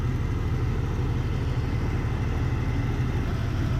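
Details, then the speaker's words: 2000 Jeep 4.0L after an engine rebuild, low on power: steady, slightly lumpy low idle with vacuum under 12 inches and weak pulses on two cylinders. A later rebuild found wrong, too-long lifters had been installed. "Look what kind of vacuum we got. We don't even have 12 inches."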